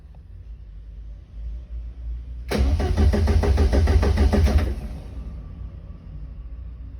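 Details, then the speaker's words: Front engine of a twin-engine Corsa, cranked while checking live data: the crank trigger missing tooth is seen and sync is good. Even, quick starter beat for about two seconds, then stops. Normal cranking. "so that's basically showing that you know it's seeing the missing tooth everything's good"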